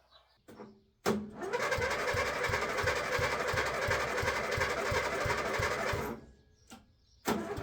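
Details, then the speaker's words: Old rotary ride-on mower cranking steadily at about three per second for five seconds with no firing; it won't start, fuel tank low, owner considers fresh fuel and checking for water or muck sucked into the carby. "oh that would be right nothing goes to plan it won't start um it hasn't got a lot of fuel in the tank so I might have to get some fresh fuel"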